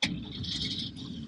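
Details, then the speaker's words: 1959 Chevrolet Apache 32 long bed Stepside, started with clutch in, neutral, no gas pumped: engine catches right away and settles into an even steady run; starts perfectly every time. "this one starts up perfectly every time"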